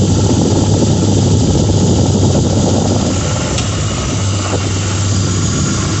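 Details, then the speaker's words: 2006 Lincoln Town Car, just started cold: steady idle, faint whir and uneven light rattle about three a second, audible outside; owner names a bad harmonic balancer after coil packs, plugs, pulleys, alternator, belt and cam sensor didn't fix it. "There, you have a bad harmonic balancer. You can see it's audible outside the vehicle as well."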